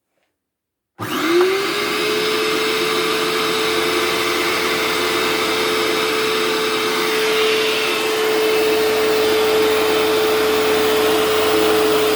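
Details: Hoover Turbopower 2 vacuum cleaner after motor service with oiled top and bottom bearings: clean startup, then steady even high hum with smooth air rush; normal running.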